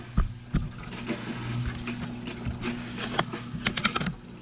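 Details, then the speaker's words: Canister filter on a 55-gallon fish tank, just cleaned, primed and plugged back in: gurgling, splashing bursts of water over a low steady hum as trapped air is pushed out on restart. "Alright, watch her. See, it's pushing all the air out. You can hear it."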